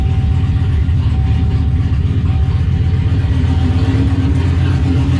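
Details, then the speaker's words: 1988 speed-density Ford Mustang Foxbody, GT40 stock block with a DIY On3 turbo kit. Running after fitting 24 lb injectors, no tuning. Steady, even idle with a smooth low rumble and no misses, knocks or ticks; runs pretty good. "we'll check for some leaks real quick actually runs pretty good"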